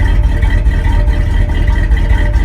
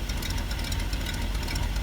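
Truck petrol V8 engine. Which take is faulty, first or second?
second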